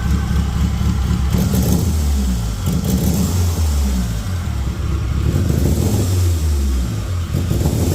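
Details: Turbo Metro engine on first start after rewiring, revving lumpy and uneven, stumbling as revs rise and fall: bad misfire despite fuel and spark; owner suspects ignition timing or coil wired wrong way (cylinders 1/4 vs 2/3), unconfirmed.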